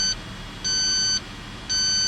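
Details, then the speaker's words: Dodge Caravan rear AC evaporator leak check: detector held at the vents, compressor on, fan on low; steady high beeps about two a second, unchanged, just searching; apparently no refrigerant leak at the evaporator. "So that's just searching. So the fan is on low. We're getting a little bit of airflow out of that."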